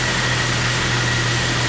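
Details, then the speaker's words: 1998 Jeep Wrangler 4.0L inline-six idling after fuel pump replacement with new soldered connectors; starts right up, steady even low hum with no misses, knocks or surging; pump now draws about 4.5 amps versus under one amp before. "So, it started right up, runs great."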